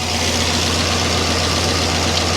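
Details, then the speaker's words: Freshly rebuilt 2006 LS4 5.3 V8 in a Monte Carlo SS just after first start: steady, even idle with no misfires, knocks or air leaks, running healthy before being held at about 2000 rpm to warm up. "looking dry up here I don't see any misfires or things of that nature no fuel leaks I don't hear any air leaks"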